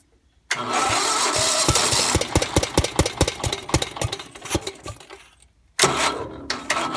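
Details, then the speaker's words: Gravely 430 with Onan NB engine after crank-trigger ignition build, first start on starting fluid after probably about 25 years sitting: twin catches, runs ragged with uneven popping, stumbles and refires; owner suspects timing slightly off or aggressive starting fluid. "it was running pretty good the timing sounds like it might be off just a hair but I don't know if that's because I was using starting fluid which is very like aggressive when it burns"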